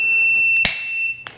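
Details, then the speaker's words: Husqvarna riding mower whose electric-PTO blades won't engage: a multimeter continuity test on another PTO switch's terminals gives a steady beep when the switch is on, so that switch is good. "we turn it on you should have continuity beeping when it's turned on"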